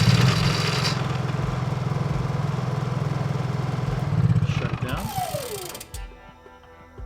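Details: Honda EU3000iS/EU30iS generator started and stopped via newly installed wireless remote system: catches and runs with a steady even pulse for a few seconds, then winds down cleanly to a stop; normal start and shutdown.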